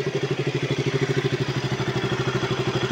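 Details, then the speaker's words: KTM RC 200 after top overhaul, valve clearance fix and O2/lambda sensor replacement, warm after long idle: even, steady pulse with no rise-and-fall hunting; idle surge and stalling resolved. "Pinalitan ko ng auto sensor lambda sensor. So far hindi ko na nakakitaan ng pagpangit ng idle."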